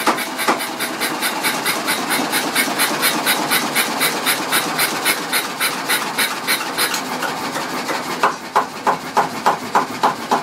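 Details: Small engine started on petrol before changeover to diesel, after an initial minute of random misfiring: steady chuffing about three and a half pulses a second, now firing cleanly on every firing stroke.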